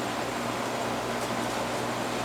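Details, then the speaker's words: Carrier AC condenser that was not cooling, restarted after the wiring connections were tightened; dead compressor side of the capacitor found, fan side low. Running and getting cold: steady even hum, smooth fan rush, no rattles, knocks or squeals; normal running. "all right let's see if it starts see if it starts up look it's running getting cold"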